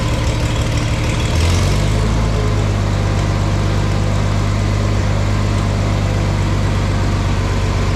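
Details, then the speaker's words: Farmall 460 tractor just fitted with an electronic ignition upgrade: it catches after a brief crank and settles into a low, steady idle hum, run to charge the battery. The finding is normal start and idle. "We're going to run it for a little bit. That way hopefully it charges the battery and that way I can make sure everything's good to go too."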